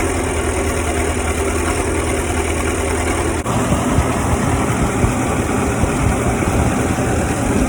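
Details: Cummins 3.3 QSB diesel, 4,500 hours, cranked up after bearing and piston work: catches and settles into a steady even idle with a low drone, no knocks or misses; sounds healthy.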